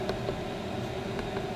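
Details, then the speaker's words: Chinese diesel air heater installed in a motorhome, running at high output around 5 Hz with about 100 °C at the vent and 8 °C outside: even steady fan and combustion whir with faint regular pump ticks; running cleanly. "Well, we're running very nice there."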